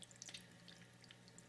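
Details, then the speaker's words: AquaClear 30 hang-on-back aquarium filter with tank water lowered below the outflow: soft steady splashing trickle with faint drips over a low hum, a waterfall effect from the low water level. "yeah it's not too bad right now but you can hear water trickling when it um when it's at the right level and it was annoying"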